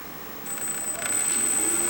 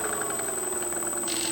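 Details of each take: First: Freewing 4258 580kv brushless motor (P-51D 1450mm) after replacing main bearings suspected damaged in a prop strike with MR685ZZC: clean whine rising in pitch on spin-up, no knock or rattle, much less noise and vibration; old bearings most likely bad. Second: Freewing 4258 580kv brushless motor from a P51D after a prop strike, run at low speed: steady whine with fast rough knocking and shaft play from damaged main bearings, later replaced with 5x11x5 bearings.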